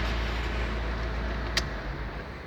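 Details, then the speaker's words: 2014 Fiat Novo Palio checked for owner-reported suspension noise and vibration: quiet even idle with steady hum and one brief click, no shake, miss or knock; vehicle found fine. "O veículo está perfeito, podemos desligar ele aqui."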